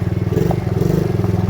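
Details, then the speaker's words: Small ATV that had been sitting and wouldn't stay running, now started with brake engaged: single cylinder pulses fast and evenly under light riding load, no misses or knocks; normal running. "There we go. It runs."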